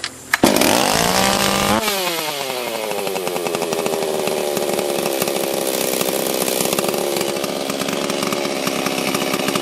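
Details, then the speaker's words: Rebuilt blown-up Stihl 044/440 chainsaw, started next morning after about five heat cycles: pulls cleanly through its starting surge, then holds a crisp, even high idle with no stumble or surging; runs strong and healthy. "Oh, she's a runner."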